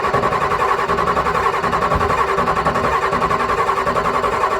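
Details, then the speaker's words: Ford 6.9/7.3 IDI diesel at about 10°F after running out of fuel, cranking steadily at about three and a half compression beats a second without catching while air is bled at the Schrader valve; starting to get fuel, audible knocking. "But you want to crank on that thing until it's pushing fuel out of that Schrader valve, not just air. Actually getting a bit of fuel, so should be all right. You hear it knocking."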